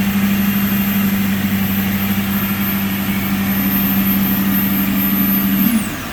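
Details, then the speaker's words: Lexus LX470 V8 cold start with temperature gauge still low: smooth, even idle with a steady secondary air injection pump drone that shuts off near the end, leaving a quieter, clean cold idle. "so you can see the uh temperature gauge is buried so you'll hear the secondary air injection shut off here in just a second"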